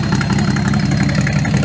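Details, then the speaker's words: Jacob Davis's 258ci straight-six station wagon after intake manifold, two-barrel carburetor and tubular header swap with side-exit pipe: loud, deep exhaust rumble at steady idle with even firing and no misses; normal idle. "so as you can see it still fires right up so we haven't quite ruined the Hornet yet"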